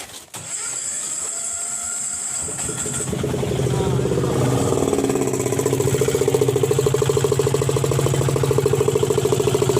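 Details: Diesel auto-rickshaw cold start, ignition wired directly because the key was missing, after sitting unmoved a long time. Starter churns about three seconds, then catches into a rough, even clatter; clean cold start, though the wheel turns out to be jammed.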